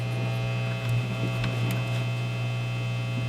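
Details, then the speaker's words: Vintage Ampeg V4 (VT-22) tube amp after cap and power cord replacement: loud steady low mains hum with bright buzzy edge that comes and goes when tubes are tapped; intermittent hum, cause unknown, bias caps C15/C23 next suspected. "when i tap these tubes the hum gets worse and then better oh god what the hell just happened"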